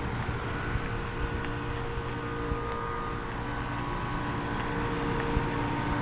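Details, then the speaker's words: 2020 Carrier Performance two-ton outdoor unit running in 102°F heat, cooling poorly with suction line not very sweaty: steady hum, unhurried fan whoosh and compressor drone; condenser fans sound slow. "sounds like the fans are spinning pretty slowly on these"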